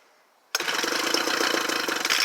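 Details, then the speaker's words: Homelite UT09520 two-stroke after carburetor replacement, cold start on full choke after 10 primer pumps: fires on the first pull and settles at once into an even, buzzy run with no stumbling; healthy start. "wow one pull that hittalick let's go up to the middle"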